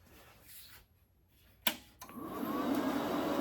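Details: YesWelder MIG-250 Pro welder switched on: click at switch-on, then an airy rush swells over about a second and settles into a steady fan whoosh; healthy cooling fan.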